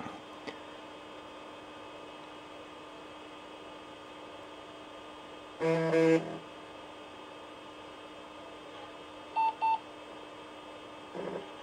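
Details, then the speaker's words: Compaq Portable III (286) with new hard drive replacing a failed 20MB Conner, drive set to type 27: steady even whine with a few short beeps as the drive spins up cleanly and works. "I can already hear the new hard drive powering up"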